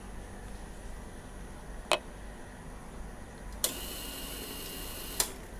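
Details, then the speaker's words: At key-on of a Yamaha Ysuku, the newly replaced fuel pump in the tank clicks, whirs faintly for about one and a half seconds and clicks off, priming as it should to the throttle body. "Okey. Bermakna dia berfungsi. So kita pasang habis, kita tengok dia hidup ke tak hidup."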